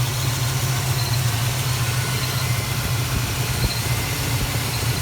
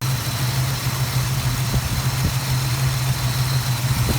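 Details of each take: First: Plymouth Duster with Holley carburetor before repair, stalling in gear; loose, slightly uneven rich idle of about 86 beats a minute that runs better with mixture screws fully closed; owner suspects a broken power valve dumping raw fuel, unconfirmed. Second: Plymouth Duster carbureted V8 (Holley) idling after carburetor repair, not yet up to temperature for final mixture setting, plugs still fouled from rich running; steady even low rumble with no misses or stumbles.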